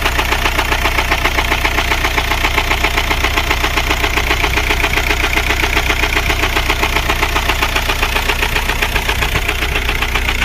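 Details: VW Golf 4 TDI 116 AJM diesel idling: steady evenly spaced deep knock about two and a half times a second; rod bearing failure, engine replaced.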